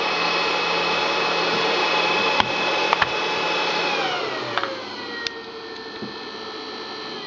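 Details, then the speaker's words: Two HP ESP135 DPS-600PB power supplies wired in series, before the quiet fan mod: loud steady airy whir with thin high whine, easing lower near the end; fans running normally at stock speed. "as you can hear the are quiet loud not too loud but still loud enough"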